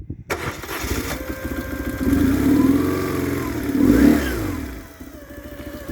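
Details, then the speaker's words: 1999 BMW R1100R, 1085cc air-cooled boxer twin, on center stand: quick crank catches at once, settles into even idle with two clean throttle blips; fuel pump drone audible; healthy start. "So I've killed the engine. Turn it on again. So I'll start the engine now."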